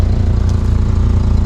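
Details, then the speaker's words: Volvo 480 just after start-up: deep rough idle with a fast puffing beat in time with firing. Sounds like an extensive exhaust leak around the 3-inch downpipe, worse than before. "It sounds like a pretty extensive exhaust leak."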